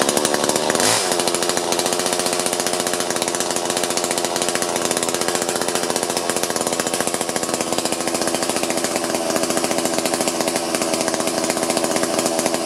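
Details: Chainsaw that won't cut despite sharpened chain and lowered depth gauges, covers off near the clutch drum for a carb-cleaner air-leak test: steady high buzzy two-stroke running, no pitch change under throttle; runs poorly, air leak only suspected.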